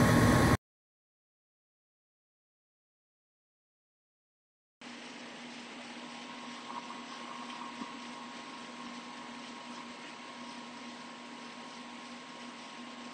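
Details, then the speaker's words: Goodman furnace not heating, showing a TE0 three-tries lockout code. Steady inducer motor hum with a faint wet, bubbling gurgle from lots of condensate water in the collector box; tubulators to be checked next. "don't know if you can hear that. A lot of water condensation in there."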